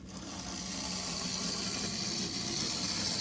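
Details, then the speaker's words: 1964 Athearn F-unit model locomotive, first Athearn gear drive, running forward on DCC: light, even motor whir with soft buzz and track clatter, no stutter or surging; running smoothly. "Number three, we're going to go forward with it. Light is it going? Oh, yeah. And there's there it is. That's DCC in a nutshell."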